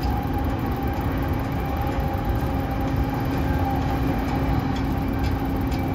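Steady low droning hum with a constant mid-pitched tone over the car's running noise; the air conditioning unit sounds unhealthy.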